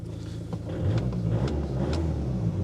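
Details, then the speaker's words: Cheap used diesel car, 160,000 miles, started after glow plug wait: low, steady diesel rumble with no knocking or uneven beat; engine sounds all right, idles healthily. "Engine sounds all right. Actually, it's not bad."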